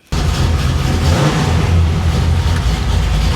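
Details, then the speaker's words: 1966 Chevy Impala after reconnecting the repeatedly loose ignition wire: fires at once, settles to deep steady idle without misses; new tach reads wrongly around 250 RPM, exhaust vibrating the car as not fitted right. "The tack seems to be off. It says we're not even running like 250 RPM. The exhaust is vibrating the crap out of the car because it's not on right."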